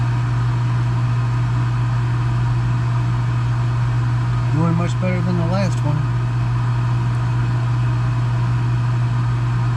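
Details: Gas package unit, newly replaced draft inducer motor (old one was extremely loud, like a lawnmower) during heat call after new hot surface igniter and burner cleaning: steady smooth low hum, no rattle or bearing growl; healthy inducer.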